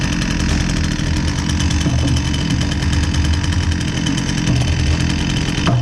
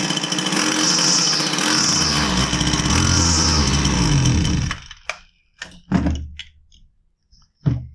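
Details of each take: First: Husqvarna 122C two-stroke string trimmer that previously bogged and only ran with choke feathered, after repair with fresh fuel: fast, buzzy, even run without bogging or surging; running properly. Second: Husqvarna 122C two-stroke string trimmer that starts but won't rev: buzzes unevenly and surges only while the choke is feathered, then sputters and dies in scattered pops; starving for fuel (bad fuel, filter, fuel line or carburetor suspected).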